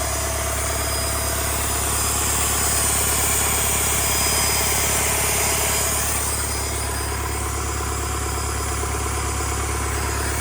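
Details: Rebuilt Doosan D34P diesel for Bobcat S770 track loader, performance test after rebuild: even diesel clatter at a steady pace, swelling slightly with throttle and settling back with no knock or miss; healthy running.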